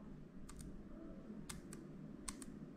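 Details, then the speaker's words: M1 MacBook Air: three presses of the unrepaired noisy delete key, sharp double clack on each down and up stroke, compared with the now-quiet refitted return key. "now we have the return key and look it's quiet now see it's no longer really noisy well listen to a noisy key listen to this delete key you hear it"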